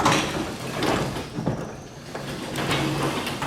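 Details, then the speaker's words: Garage door lifted manually after re-spraying a creaking hinge with lubricant: smooth soft rolling rumble, light track noise, hinge no longer creaks. "sounds okay now we'll go ahead and lower the door again oh much better see no more creaking of the hinge"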